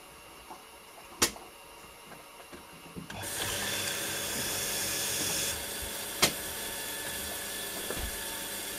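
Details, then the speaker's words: New Stuart Turner Monsoon 2.0 bar universal shower pump, tank full, after fixing factory leaks: quiet, then a steady whirr with water rush from about three seconds, even with no knocking; pump running normally on cold water. "Last test coming up. Actual running of the pump."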